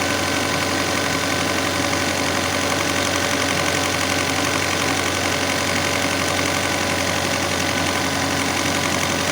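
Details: Alfa Romeo 156 Twin Spark with 3,000–4,000 rpm idle complaint: steady, fast, high-pitched drone far above normal idle with no dip; faulty idle control actuator (blade missing inside) letting it race.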